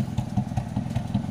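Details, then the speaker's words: Honda Civic Wonder fitted with a Toyota Kijang carburetor, just started via starter solenoid: even low pulsing idle about five beats a second with no misses, stumbles or knocks; engine idling smoothly after carburetor swap. "enak banget Kenapa Lu pernah potnya Dhani jadi kering"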